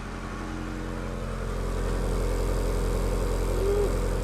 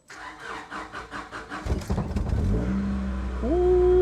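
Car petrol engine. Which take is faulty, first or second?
first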